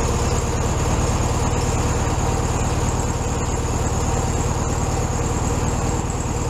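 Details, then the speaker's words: 1967 VW Beetle 1500cc air-cooled flat-four, warmed up after carb reinstalled on new base gasket: even, steady chuff at a slightly high idle, no hunting or stumbling; normal idle. "Alright, so I purposely let that run real time so you guys could see that I did take the time to let it warm up. It's probably idling just a little bit high right now."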